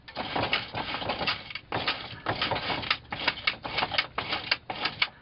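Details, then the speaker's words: Yukon/Tahoe in park with the front driveshaft unbolted and turned by hand: repeated bursts of dry clicks and rattles, about one burst a second, matching the noise heard while driving; the transfer case is known broken and 4WD no longer works. "that's the noise I hear whenever I'm driving clicking noises shouldn't harm the vehicle to have this drive shaft off"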